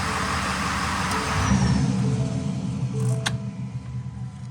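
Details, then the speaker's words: Used 2020 Ford F450 cab chassis, 6.7L Power Stroke diesel, 22,000 miles, started in garage right after changing both fuel filters and the fuel-water separator and bleeding air: fires and settles into steady even idle, low rumble, no knocks or misses; normal. "shut it off one more time I'm going to start it up all right I think I'm good so I went ahead and opened up the garage door and the truck is running"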